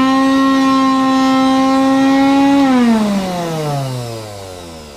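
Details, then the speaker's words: IPC Ecoclean vacuum extractor with a strange noise and a burning smell: loud, steady buzzing whine from the motor that sinks smoothly in pitch as it spins down, an abnormal motor noise of unknown cause. "E aí já ouviu esse barulho Comenta aí embaixo se você já ouviu e o cheiro de queimado que sobe né é péssimo"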